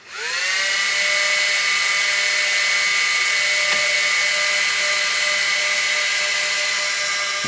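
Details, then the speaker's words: Supermicro SuperChassis 512F-350B 1U short rackmount server: BIOS-controlled fans, quiet while the CPU is cool, whoosh up within half a second to a loud steady high whine when the CPU gets warmer, with a warning light signalling a problem. "they didn't like that so they spin up very quickly and you'll get a warning light saying look we've got a problem"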